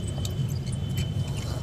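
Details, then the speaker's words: Bajaj fan that squeaks ("chu chu") and gets very loud at high speed; the fault returned about 10 days after an earlier repair elsewhere. A steady low motor hum with a faint high, thin squeal and odd chirps while running. "यह चूचू की आवाज करता है और जब तेज चलता है तो बहुत ही तेज आवाज करता है दोस्तों"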